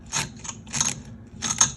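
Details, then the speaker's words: Honda CB550 front brake being bled of old fluid and debris, bleeder valve needing replacement: gritty crunching and clicking with each lever pump, about three strokes in two seconds, lever starting to firm up; crunchy brake when pumping lever. "Oh God, this thing is so crunchy. But it is starting to get hard, so once we get all this crap out, I think we'll be okay."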